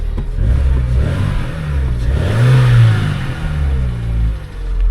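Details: Car at auction: the engine climbs and falls smoothly through the revs with an even, steady note and no knocks, rattles or chain noise. It sounds healthy.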